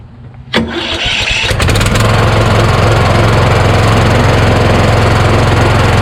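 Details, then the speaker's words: Craftsman YS4500 lawn tractor with Kohler Courage single, starter double-shimmed, about 36°F: starter grinds briefly and labors, then engine settles into steady thumping idle about three beats a second; owner says starter sticks at compression stroke. "there we go again that's that compression stroke [Music] once you keep clicking it it'll go past the compression stroke and sit right there it stop it won't move anymore"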